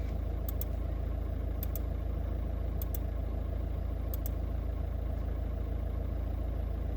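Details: VW-group 1.9 TDI diesel after fixing the G28 crankshaft/engine speed sensor wiring (no-start, fault 000802/P0322, no signal): deep, steady idle rumble, even and unbroken with no stumbling or misfire; normal idle.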